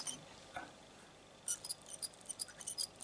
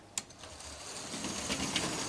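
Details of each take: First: Cheap French model locomotive for a garden railway, mechanism turned by hand during disassembly; thin high dry chirps from running gear, lots of fluff and dirt in motor supports, gears good, motor problem suspected. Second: Juef French model loco with twin motors on individual bogies, tested with top temporarily unfixed: faint even buzz and light wheel clicking as the small motors spin up; runs smoothly now.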